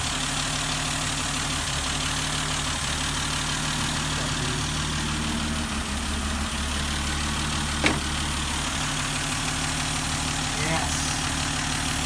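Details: 1971 Dodge Demon, 198 Slant 6 stored in a garage since 1988, just started, smoky exhaust, alternator charging good; smooth even idle with a steady low drone, no knocks or misses.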